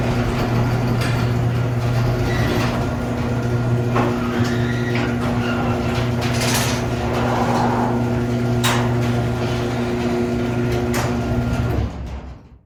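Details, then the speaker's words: Garage door with belt-drive opener after quieting work, including nylon rollers: steady low hum with a faint whirr for about twelve seconds, then stops; no rattles or bangs, so the door now runs smooth and quiet. "So there you have it. Steps that you can take to make your garage door significantly quieter."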